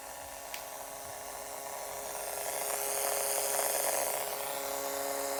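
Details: Acer Predator G9-593 laptop after 9-12 months of use: a steady mid-pitched buzz with faint hiss from the internal speakers when the system heats up, owner suspects motherboard interference near the southbridge; disconnecting the internal speakers fixes it; speaker buzz.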